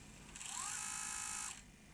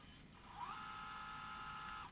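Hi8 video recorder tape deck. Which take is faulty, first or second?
first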